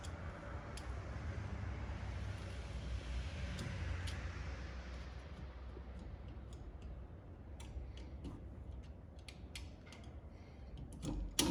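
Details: 1964 Rambler Ambassador Cross Country wagon idling. A light, uneven tick about three times a second over a low rumble. The water pump is suspected, and it is leaking coolant and getting worse; the source is not confirmed.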